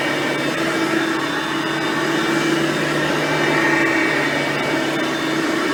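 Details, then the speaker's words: Hoover Platinum Collection lightweight bagged upright and Oreck XL Platinum vacuums, both direct-air; steady, even motor hum with faint airy hiss, no rattles or surging; quiet, normal running. "as you can hear both are pretty quiet vacuums for being that there are both direct air based vacuums"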